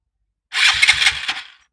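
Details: Three-year-old Piaggio MP3 Yourban 300 scooter, battery and starter motor checked, relay replaced: one short cranking burst of about a second, a few slow turns, then silence; owner measured the button sending current to the relay only a second instead of six.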